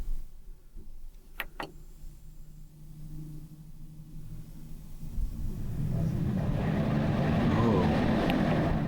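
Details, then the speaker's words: Newly installed Starvent 11-inch powered 6-speed roof vent in a vintage camper, wiring not yet finished: faint clicks, then a soft airy whoosh builds and holds as the fan resumes its remembered level 6 and switches from intake to exhaust; normal operation. "this thing has a memory to it. It remembers the last setting and it goes right back to that. So that was blowing in at level 6. Now we're blowing out."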